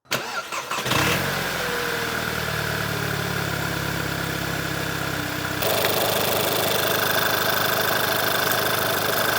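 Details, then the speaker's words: High-mileage VW MK6 GTI after major service (timing chains, rear main seal, clutch and flywheel, vacuum pump): cranks briefly, catches, settles into steady even idle with faint belt whir; runs smooth and healthy. "sounds good to me well I think that's everything complete on this vehicle"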